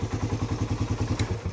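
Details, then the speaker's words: Motorcycle at 20k odometer, engine still hot: steady quick ticking about seven per second over idle that never fades, unlike compression release; worn cam chain tensioner. "Ayan, may natik-tik yan. Mainit pa nga to eh. Kanina lumabas, malakas talaga. Hindi yan compression release mga boss. Ayan, may steady yung kanyang ingay."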